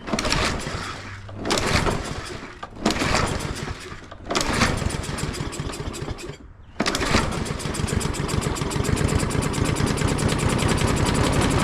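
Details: Craftsman push mower found in the trash, nasty air filter, oil never changed, restarted after being flipped over with air filter cover off: fires and dies in short bursts several times then catches and runs steadily; unreliable starting, cause unclear.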